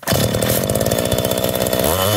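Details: Rebuilt McCulloch Eager Beaver 2.0 chainsaw, warm, spark arrestor plate refitted, run to burn out the fuel: fires and holds a strong, even high rev with a steady buzz until it runs out of gas; fully operational.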